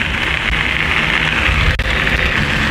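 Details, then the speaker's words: Specialized Fuse plus bike with 3-inch tires converted to a Bafang BBS02 mid-drive, ridden at about 20 mph: steady high-pitched motor whine over wind rush; normal motor and gear noise, described as noisy like a four-wheel-drive truck. "kind of sounds like one of them annoying four-wheel drive trucks too bad I can't roll hole this thing's actually kind of a beast"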